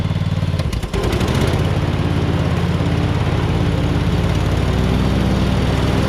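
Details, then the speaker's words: Hustler Super Z mower, Kawasaki engine with 1900 hard hours, blades engaged after 66-inch deck rebuild with new components (blades previously collided): brief startup bump then steady, even hum, no grinding or scraping; normal running. "i mean this thing is just so great i mean that's 1900 hard hours on that kawasaki and just listen to that thing"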